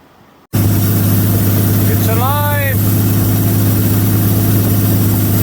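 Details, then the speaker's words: 1933 Auburn V12 Salon Speedster, Lycoming-built Duesenberg-designed 45-degree V12, first start after decades dormant in a museum. Idle set high because it wouldn't idle; oil pressure just over 40 psi, charging 10 amps. Strong, steady fast idle, even beat, no knocks or misses. "It's running after many years of being dormant. It sounds pretty good."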